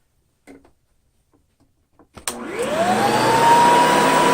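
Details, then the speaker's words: 1995 Hoover Commercial C1125 vacuum after cleaning, rust removal and reassembly, before new brush roll: soft bumps, switch click, motor whines up to a steady clean high tone, no rattle or grinding; very quiet, motor sounds great. "How about that? Very quiet, very easy to listen to be sure."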